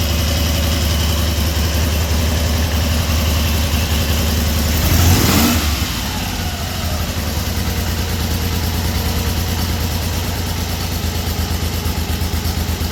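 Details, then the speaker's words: 1974 Triumph Trident three-cylinder after fixing a failed-coil misfire, started indoors in cold weather. A steady, even idle after a brief blip, with no stumbles or cutting out: normal idle. "Running beautifully. Yeah, it is. It's running beautiful. I don't hear the cutting out or none of that."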